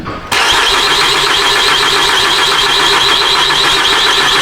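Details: Ford Fusion 3.0 V6 cranks but won't start; starter spins steadily for several seconds and never catches, no coil primary spikes on the scope, failed ECM coil drivers.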